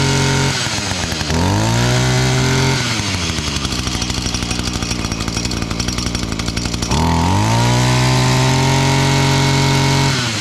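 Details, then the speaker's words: Older Echo SRM-230 professional trimmer, two-stroke, after a new carb and cleanup: a crisp buzz that revs up cleanly, holds high speed and drops to a steady idle. Fires up easily, though the primer bulb barely fills. "There you go. That thing fired up."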